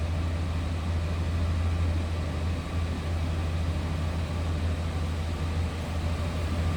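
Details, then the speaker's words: 1994 Chevrolet Silverado 1500 extended cab 4x4, stock 5.7 V8, 67,439 miles, heard from the cab at idle: smooth even low rumble with no knocks, ticks or squeals; healthy normal idle. "And it sounds like a stock 94 Chevy with a 5.7 in"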